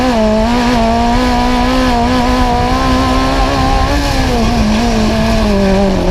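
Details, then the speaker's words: Magnum super buggy V8 on track at Joe's Speedway with a new carb: holds a steady high note, then dips and wavers turning left or right; owner suspects float set too high; idle fixed by earlier changes. "i think we might be a little high on float because now when i cut it to the to the left or to the right i mean it's fluttering out"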